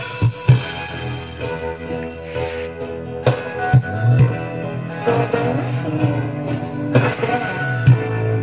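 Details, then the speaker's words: Sharp active speaker model CBOX D888WB, stereo with two 8-inch drivers per box: music plays with a rough, gritty, hoarse distortion; both left and right channels found faulty, supply voltage checked next. "setelah saya coba ternyata keduanya itu bermasalah jadi suaranya serak semua"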